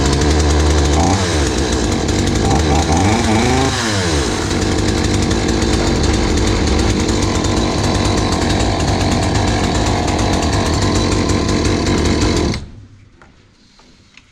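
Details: Hyundai 450 chainsaw after carburetor diaphragm replacement (previously dropped back under throttle and stalled while cutting): two quick throttle blips, then a strong, steady high-pitched run until shut off; runs cleanly.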